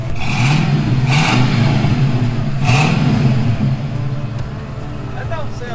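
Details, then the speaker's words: V8 still running its catalytic converters: a deep, even burble with clean revs and no ticks, pops or rattles. The exhaust is healthy but quiet and muted; the owner is considering headers, removing the cats and adding a Corsa muffler. "too bad it ain't got that flare that we have on this channel I think we're gonna have to do something a little upgraded on this thing maybe some headers"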